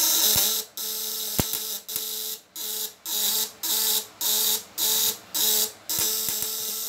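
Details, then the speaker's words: Contact-breaker (platina) fish shocker, 1 kg spool, 500 W, tighter setting with the spool still fairly far: a harsh buzz cuts in and out about once a second; worn, pitted contact surfaces, to be smoothed after use. "Kalau ada getaran platina yang kurang sempurna di sini, itu wajar aja, karena permukaan platina itu semakin lama terpakai dia semakin bergerigi ya, nggak rata."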